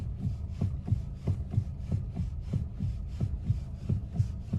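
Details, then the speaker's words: Engine running with the car stationary while the steering wheel is rocked side to side: dull low thumps about 1.5 per second from a worn steering rack. It is not the steering shaft universal joint, which earlier knocked only over bumps. "стучит рейка. Вот именно такими движениями вы можете понять, что стучит конкретно рейка."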